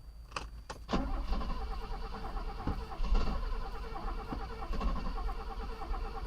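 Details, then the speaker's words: Mercedes under restoration, first start on its own fuel pump: engine catches in short uneven bursts but won't idle; owner suspects the fuel pump is too strong and flooding it, with a fuel leak noted. "oh okay we're having a problem here what i'm thinking is this fuel pump is too strong and it's uh flooding the system"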